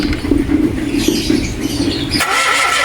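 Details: Mitsubishi Mirage G4 during basic no-start diagnosis: starter churns in quick, even pulses with a whirring tone, but the engine never catches and runs; cranks without starting.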